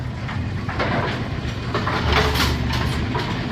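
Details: Brunswick A2 pinsetter after cycle solenoid was matched back up; ball detect beam tripped and it cycles with steady clattering and thumping, an even mechanical rhythm with no jams or stalls; normal pinsetter cycle.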